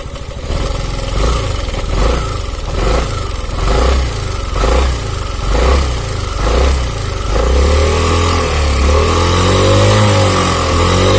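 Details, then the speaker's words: Italian 250cc automatic scooter, charging measured around 14 V: revved engine carries a rough, uneven metallic clatter pulsing about once a second over the revs; worn or slack cam chain rattling. "Nah itu MP3 suara rantai keteng bahwa krek-krek gitu"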